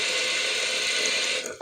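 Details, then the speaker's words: Toilet with a slowly leaking flush valve and a low-set float: steady hiss of the fill valve refilling, which cuts off and keeps retriggering as water leaks out; toilet fill valve running. "now it'll keep humming like that forever because this this float is just low enough to let a small amount of water in"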